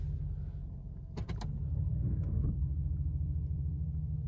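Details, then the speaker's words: 2001 Cadillac DeVille after replacing all 8 spark plugs and both ignition coils for P0351/P0303 misfire: in drive holding the brake, idle is quiet, even and smooth with no missing beats or shaking. "running really good. I got it in drive and holding the brake. It's running real good. The engine is nice and quiet now."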